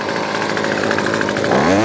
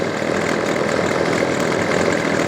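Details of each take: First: Weedeater Featherlight SST25 25cc two-stroke trimmer after carb kit rebuild: full-throttle steady high scream with a brief pitch rise near the end; full power, though idle still spins the head. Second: Weedeater Featherlight SST25 25cc two-stroke trimmer: fast buzzy idle never drops, revs up and down; idle too high, head keeps spinning even with idle screw backed out.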